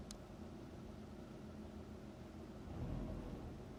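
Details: 2005 Subaru Legacy GT, EJ255/EJ257, 108k miles, before rebuild: idles with an uneven, lumpy rumble, its typical misfire roughness.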